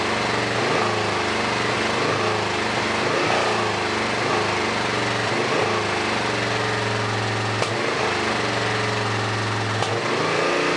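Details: A Suzuki S50 Boulevard 800 V-twin, believed to be a 2006, that sat for years idles uneven and lumpy with a hollow beat and stumbles. It runs only on the rear carb; brake clean sprayed into the front carb makes it run on both. The front is fuel-starved and the rear overflows, so both carbs must come off.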